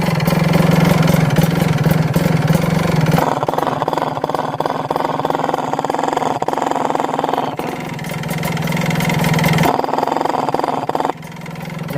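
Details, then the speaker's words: Kawasaki Ninja two-stroke HSAS secondary air reed valve: uneven idle with noisy fluttering flap chatter and air puffing out about three beats a second, because the reed membrane is worn. "itu berisik bunyi flapnya ya Bunyi Flap sama bunyi blok udara blok yang keluar itu membrannya udah jelek"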